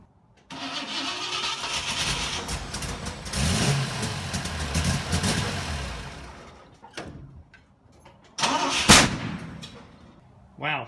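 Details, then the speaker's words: 1960 Pontiac Ventura barn find, rebuilt Tri-Power carburetors running rich, timing suspected off: rough cranking start, lumpy rich idle, then a loud bang from fuel igniting in the mufflers; owner plans new mufflers. "I have never in my life backfired like that obviously those mufflers were full of fuel or just enough fuel that turned them into a bomb"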